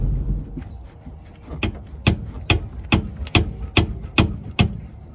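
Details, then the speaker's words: Toyota Highlander AWD driving: sharp heavy bangs from the rear end, about two to three a second, over low road rumble; rear-end clunking. "it's a pretty loud banging noise from the rear end i hope you can hear in the video"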